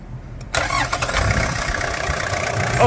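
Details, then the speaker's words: Toyota Land Cruiser Prado diesel, electronically managed engine from 2001, newly fitted genuine original starter motor: brief crank catches within half a second, then a steady even idle; normal starter cranking. "motor de partida original vamos escutar melodia que ficou boa partida"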